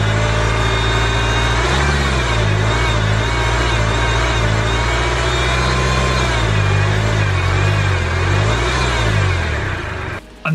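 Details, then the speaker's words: Range Rover Evoque bought cheap at auction, idling and blipped. An uneven chattering over the engine note follows the revs. Owner strongly suspects the belt tensioner or a pulley; unconfirmed. "the exact noise I'm talking about definitely sounds tensioner or pulley related"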